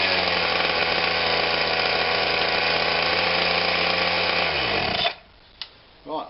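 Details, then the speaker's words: Atlas Copco Cobra TT breaker small petrol engine just after throttle cable replacement, air filter refitted, casings off: screams at steady high speed with buzzy firing note, then shuts off; engine speed set too high, needs adjusting. "sounds like we finally got home on out but it sounds like it's very fast of what it is I can see the butterflies shutting right off"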